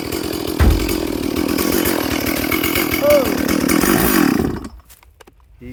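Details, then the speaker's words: Stihl 440/460 hybrid chainsaw, freshly rebuilt and on its first tank of fuel while running in: at full throttle it has an uneven, burbling four-stroking beat instead of a clean scream; the carb is set rich and needs a slight tweak. "So it is quite rich. It is 4-stroking on full throttle, but it's running in for this first tank of fuel."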